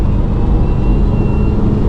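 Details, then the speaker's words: Failing turbocharger on a remapped car accelerating hard in third gear: heavy engine roar with a thin, high screech riding over it. Black smoke turns to white under throttle, and the turbo is known to be on its way out. "Let's go third gear. You can definitely hear the turbo"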